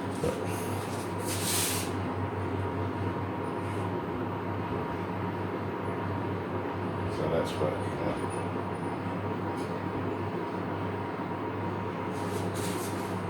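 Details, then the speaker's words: Calor pellet stove (Italian-made), after repairing a SIC Fail overheat alarm, about an hour into the test run: steady low fan hum and even airflow, no rattles or speed swings; top temperature down from 61–62 to 37. "work just had about an hour now and it's still very nice"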